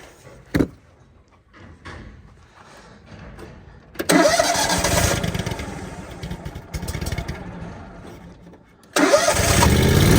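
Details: Hobart welder/generator, previously no-start, after the fuel filter was cleaned: a sharp click, then it catches and runs with an uneven patter, stops briefly and fires again; now starts and runs.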